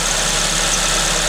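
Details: Suzuki ZC31S with supercharger, at idle: thin high squeal over engine hum without fading, from the supercharger main pulley V-belt; engine otherwise sounds fine.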